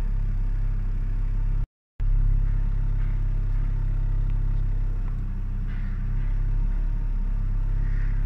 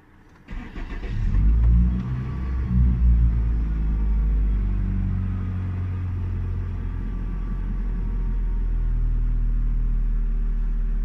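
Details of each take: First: Hyundai Sonata six-cylinder petrol engine idling with a low, steady, even rumble, without misses or surging, after replacing a broken intake hose that had caused a high, rough idle. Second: Hyundai Sonata six-cylinder with high, rough idle: engine catches, flares, then settles into a deep, slightly uneven idle from an intake air leak through a broken intake hose; fixed by replacing hose, throttle body programming.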